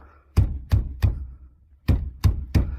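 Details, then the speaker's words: 2015 Mazda 3 1.5 after replacing worn brake caliper pins on both sides, wheel rocked by hand: dull thuds with no metallic rattle or knocking; worn pins had caused clatter on rough roads. "Voyons voir. Il n'y a pas de bruit métallique ni de cognement pour l'instant. Tout semble bien se passer pour le moment."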